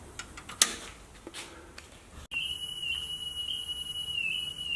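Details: Kenwood KX-54 cassette deck after mechanical repair, playing a 3 kHz test tape before speed adjustment via the motor's trim hole: a steady high tone slightly flat, so tape speed is slightly slow.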